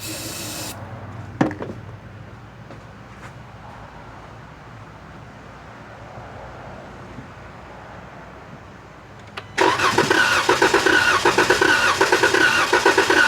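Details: 2016 Dodge Challenger 3.6L V6, crank-no-start, faulty fuel pump: long slow cranking, then starting fluid sprayed into throttle body makes it catch loudly and run rough momentarily with backfire; confirms no fuel delivery.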